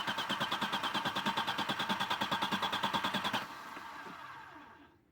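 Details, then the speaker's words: 1996 Audi 80 Coupe 2.6 V6, unmoved for 15 years, with a flickering battery light and no fuel pump heard. Steady cranking that never catches; no fuel delivery. The fuel pump fuse is fine and the relay is suspected. "so okay we've definitely got a fuel delivery problem here with us 10 there's no fee all coming to the engine because we can't hear the fuel pump working"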